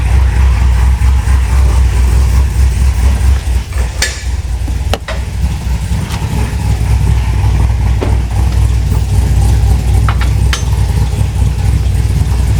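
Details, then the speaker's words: V8 with regular port injectors, about 76,000 miles, reportedly tuned by others: heavy lumpy idle with deep uneven chop and occasional stumbles; running rich with strong fumes, badly out of tune. "it is running rich might I might I might pass out of here it is horrible"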